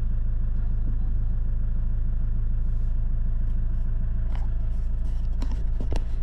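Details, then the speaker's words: Iveco Daily diesel just after an oil, oil filter and diesel filter change, with the fuel system primed first: it starts first time with no error codes and settles into a steady, even low idle with no knocks or misses, revving cleanly. "Motorul a pornit din prima, fara coduri de eroare, e ok... se aude bine, se tureaza..."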